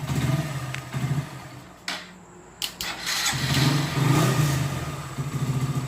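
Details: Hero Glamour BS4 single-cylinder bike restarted just after full engine rebuild, before running-in: settles into an even, steady thump with a brief rev; mechanic says engine sound is very smooth and will get smoother over 1-2 hours running-in; healthy idle.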